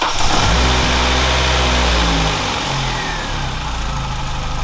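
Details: Vauxhall Corsa SE track car, engine already warm to operating temperature, after fitting a green single-cone performance induction filter. The engine spins up smoothly with a clean rising tone, then settles back to an even idle: free-revving and healthy.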